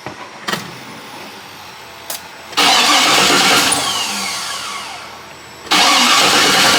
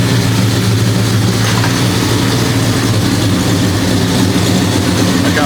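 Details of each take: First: 1973 Impala 406 small-block Chevy V8, first start after collapsed lifter and guide plate repair; repeated long cranking, briefly catching and stumbling, raw fuel smell at tailpipe. Hard start, ignition timing suspected off. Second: 1973 Impala 406 small-block Chevy V8 with AFR aluminum heads and FiTech EFI, after replacing a collapsed lifter and fitting 2-piece guide plates; deep steady burble at even idle, no valvetrain ticking. Normal idle.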